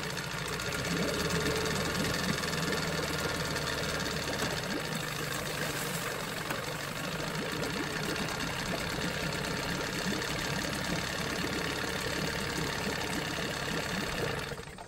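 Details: Johnson 9.9 outboard after carb kit rebuild and new spark plugs: rapid ticking putter about four beats a second, held steady before shutting off, idling cleanly and quietly; normal idle.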